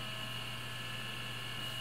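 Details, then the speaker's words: Syquest removable drive in SupraDrive, run from a temporary ATX power supply after the original supply's capacitor failed: constant high whine over low steady hum, no scraping or clicking; normal draw, spins up normally. "so just going to pair up this here that's normal draw it sounds fine"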